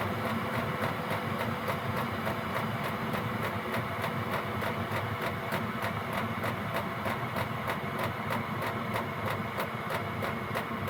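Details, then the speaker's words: Gearlasso 8kW 12V/24V Chinese diesel heater in manual gear mode, turned down to P1: even dosing pump ticking about three per second over steady fan whirr, slowing gradually; normal low-output running. "Now you can hear it slowing down a little bit. The pump's slowing down. It's all very gradual."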